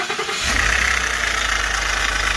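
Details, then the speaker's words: Ford F-150 at idle after start: steady raspy chirp over the engine from a loose plastic idler pulley with lots of play, running on a shredded accessory belt; tensioner and harmonic balancer were suspected first; worn idler pulley. "no that's the one making the noise because i thought i heard it up here but feel this one down here which these are plastic which is kind of crazy"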